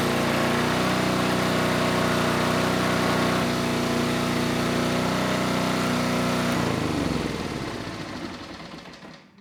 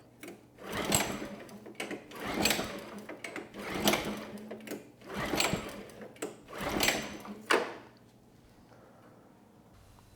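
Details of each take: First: Generac G1000 750 W portable generator, no history, running a light load; even steady buzz then winds down at shutdown, 132 volts at 60.5 Hz, started first pull; normal running, though the carburetor remains an issue. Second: Generac G1000 750 W generator, no history, ignition on, choke on then off: about six recoil pulls spinning with no firing; no-start from fuel starvation, nothing reaching the carburetor drain though the tank has fuel; carb needs removal and cleaning.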